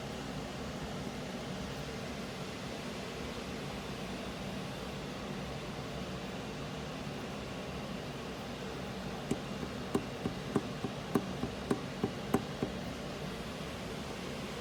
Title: GMC Terrain 3.0 slt Y code Engine knock after it warms up ￼. Will do an update on price/parts